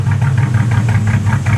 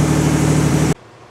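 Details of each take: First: 1986 Cadillac Cimarron 2.8L V6, arrived by tow, before its major tune-up: a lumpy, uneven idle with a stumbling beat and shaking pulses before shutting off. Misfire because replacement plug wires go to the wrong distributor cap terminals. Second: 1986 Cadillac Cimarron 2.8L V6 after major tune-up (EGR valve cleaned, distributor cap, rotor, ignition module, battery terminals): brief steady, even idle with smooth low hum, no misses or knocks; runs well, exhaust likely needs work.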